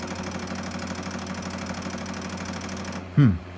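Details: Pioneer CLD-D503 LaserDisc player, started rattling when playing a disc: continuous fast buzzy clicking rattle inside for about three seconds, then a sharp clunk; the laser sled is stuck and chattering.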